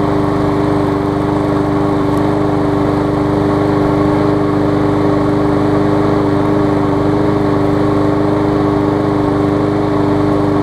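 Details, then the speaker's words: New 2013 Murray push mower after removing a hard piece of rubber stuck in the intake valve that had caused lost compression: smooth, constant buzz at steady speed, no stumbling or surging, now running great. "you see it's running great now"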